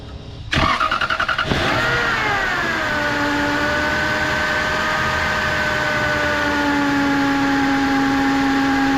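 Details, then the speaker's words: 1999 Lexus GS400 starting to idle: a steady whine that eases in pitch as revs drop. The owner suspects a wet, leaking power steering pump; this is separate from the known-bad accessory belt tensioner bearing that grinds. "But there's a noise that is not associated to that, and I believe it's coming from the power steering pump."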